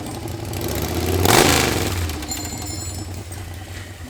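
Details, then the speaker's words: Harley Sportster 1200 V-twin, swapped in after sitting outside full of water, first start without rebuild: fires, revs briefly, settles with light quick tick over exhaust thump; old Sportster tick, top end seemingly oiled after third pour, expected to clean up. "I think sounds good. Even with the tick, it was like it hit. I think it'll clean up. When you poured it in that third time, it's almost like it cycled enough to the top end. Just got that old Sportster tick."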